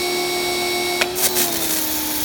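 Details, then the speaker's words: Kioles 3000 psi electric pressure washer, failed on second use: piercing whine rising in pitch as pressure slowly builds, over spray hiss; motor never cuts off, weak pressure, defective switch. High-pitched whine while building pressure. "what happens with this one and I'm about to start it it will come on you'll hear a very high-pitched whine and as it increases pressure the wine becomes higher in frequency also it takes a while for the pressure to really really accumulate to what it should be"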